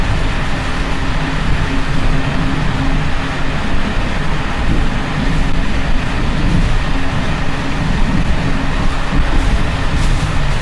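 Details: Czech Bd264 481 passenger coach (built 1979), Görlitz V bogies many kilometres since last major maintenance, evening express on uneven line 190 between Hluboká nad Vltavou and Číčenice: loud heavy rumble with constant rattling and banging as brake rigging bounces. Rattling worn bogie brake rigging.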